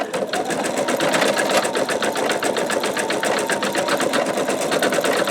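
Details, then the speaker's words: Embroidery machine stitching with a 10.2 x 8 inch MagnaHoop magnetic hoop: fast, even needle ticking with occasional faint pops; it is uncertain whether the stabilizer isn't tight enough or it's just the stitching. "so this little portion while it is stitching out you can kind of hear it popping a little bit and I don't know if maybe because that's cuz the stabilizer is not tight enough or it's just the stitching"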